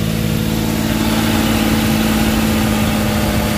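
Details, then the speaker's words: Suzuki K6A three-cylinder engine (DA63/DA64) after a general overhaul with XADO engine treatment added: smooth, even idle with a steady hum and no ticking or knocking after the first start; normal idle. "So far okay na yung andar niya."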